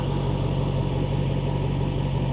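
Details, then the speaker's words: Mercedes, exhaust heard from the rear at idle: deep, smooth, even burble with no misses, ticks or knocks; sounds right, healthy idle. "it just sounds right oh I want this I do forget that I want this"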